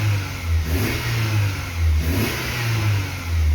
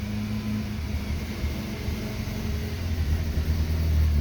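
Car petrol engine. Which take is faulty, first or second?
second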